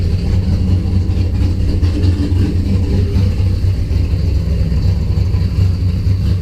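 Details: Deep, lumpy idle with an uneven pulsing beat. Spark returned after the coil/distributor wiring loom was moved. Fuel pressure was 50 after prime and over 60 during prime. The engine sneezes fuel and runs really rich; the cause is unclear.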